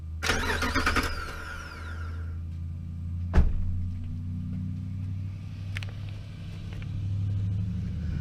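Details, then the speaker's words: 2005 Jeep Grand Cherokee with intermittent click no-start: probe from battery positive tests the starter solenoid connection, key out. Starter whirrs about two seconds, then a sharp clunk and low hum; starter circuit working. "I'm going to push the button and we're going to listen for the sound if I hear the sound of the engine cranking"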